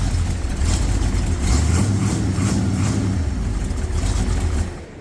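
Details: Owner's buggy engine, flawless for years, used to test a Dura Spark ignition module for the 460 project: deep steady V8 rumble, even beats, no misfire or stumble, runs smoothly, then sound drops away; module confirmed working.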